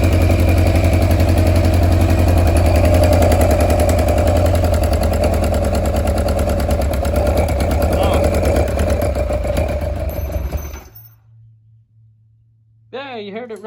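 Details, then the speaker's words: Kawasaki KZ1000 police bike, first start in many years after an engine swap, on choke: the inline-four idles with a light tick three or four times a second from small loose parts rattling, not from an exhaust leak as first suspected. "I found the noise I thought I had an exhaust leak but it's these little doodabs huh cool"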